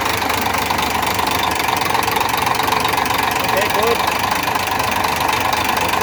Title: another mechAnic job 101.....trouble and diagnose engine knocking......